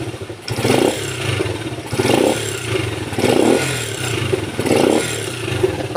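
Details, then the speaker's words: Rusi motorcycle that stalled and sputtered on throttle even after carburetor cleaning and plug-gap adjustment; after fitting a new spark plug, the engine picks up cleanly on each blip and settles without sputter or stall: normal running. "Ganon pa rin pumupugak pero ngayon paandarin natin nawala"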